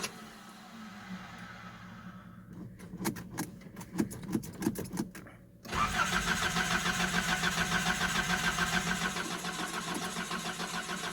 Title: Nissan 720 cold start. needs new fuel pump i think wont start very easily.